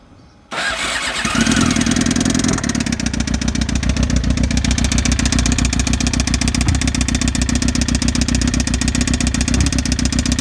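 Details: 2007 Suzuki GSX-R600: an abnormal ticking began suddenly at 55 mph. At a rough idle a fast, loud tick sounds over an uneven gurgling exhaust; cause unknown.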